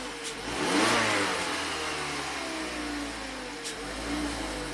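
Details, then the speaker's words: 2016 Mazda CX5 after a repeat P0012 fix, the stuck-retarded electric VVT intake cam phaser freed by hand and codes cleared: the engine spins up cleanly and settles smoothly with no knocking or ticking, and no DTCs return. "And just make sure that our cam shaft is phasing. Sounds happy."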